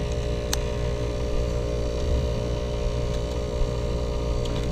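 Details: Climate Master geothermal heat pump after low-pressure lockout, Y1 and Y2 jumpered, both flow center pumps at about 1.9 amps: even, steady low hum with a soft tone above, no knocks or rattles; running normally, no problems found.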